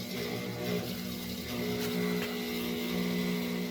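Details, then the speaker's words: Late 1960s/early 70s Westinghouse 12-inch oscillating table fan: a steady low hum with a coarse buzz riding on it, uneven as the head swings. The motor is quite buzzy. "so motor is quite a bit buzzy and definitely go and let it coast"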